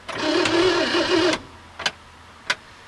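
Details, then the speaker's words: 1967 Mercury Monterey 390 big block V8, parked since 1992, mouse-chewed wiring being repaired: about a second of starter whirr then clicks, engine cranks as soon as key is turned on without reaching start. "Okay. As soon as I turned the key on, she just started uh cranking. That's not right. And that is the engine cranking, is it not?"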